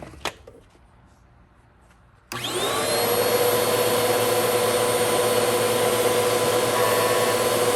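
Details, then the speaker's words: Bissell CleanView vacuum with its original motor, belt and brush roll refitted, before motor replacement: after quiet handling, the motor starts with a loud, harsh roar and a steady high whine, rough and tired; diagnosed as a bad motor. "yep bad motor simple enough to fix"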